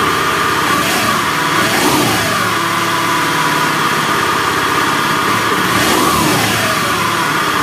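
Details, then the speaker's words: Honda Beat FI scooter at idle and through revs: rough, gravelly, helicopter-like rumble that worsens with throttle; worn left crankshaft bearing. "Oke, jadi suaranya seperti itu ya, kasar sekali. Kalau suara seperti ini biasanya itu krek as ya, klaker. Jadi bearing yang sebelah kiri itu biasanya aus."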